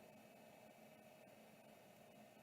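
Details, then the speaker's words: Vintage Samsung SHD-240N motor-actuated hard drive, parked, powered up: quiet steady hum with faint even whine, no grinding or rumble; spindle bearings and drive sound healthy. "but you know it's fine that drive sounds great"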